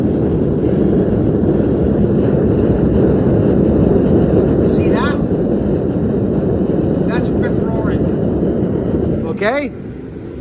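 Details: Propane ribbon-burner forge with regulator turned up to high pressure: strong, even, steady roar with no sputter or pulsing, unlike the sputtering at low setting; normal full burner roar.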